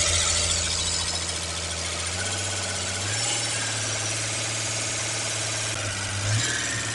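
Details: Holden six-cylinder with carburettor, just fitted with new camshaft and lifters, timing set, not a full rebuild; started after fuel pump trouble: steady even drone with busy top-end chatter, no heavy knock. Normal running.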